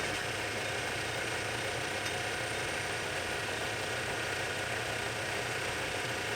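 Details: Lathe boring the bore of a back gear for a project lathe with a boring bar, light skin pass to check clearances, no coolant: a steady, even cutting hiss with no ringing squeal or rising tone, a clean cut without chatter.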